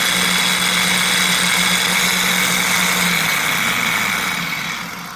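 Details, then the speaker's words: Removed starter from a 2000 Ford F-250 5.4L that only clicked, bench-run with jumper: steady whirring hum about three seconds, then cuts off and spins down, sounding somewhat rough; replaced with rebuilt Motorcraft starter. "I guess it does sound a little rough."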